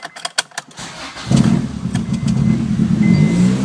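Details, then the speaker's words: 1999 Acura Integra GSR starting after refitting a missing front alternator bolt that caused belt squeal: brief starter crank, engine catches to smooth idle with no belt squeal. "once I got in there it doesn't squeal anymore it starts up prove it it's not squealing"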